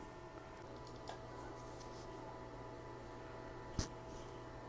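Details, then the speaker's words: External CMS hard drive on a 1986 Macintosh Plus, revived by tapping, running while the Mac boots from it; quiet constant hum, faint whine, single soft click; drive running normally, programs intact. "it looks like all the programs are here and everything seems to be working pretty well"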